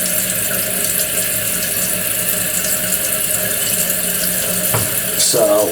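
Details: Toilet runs after flush: water keeps trickling and hissing into tank, fill valve never shuts off; leakage through fill valve, worn seal diaphragm; Kohler 83143 seal diaphragm replacement planned.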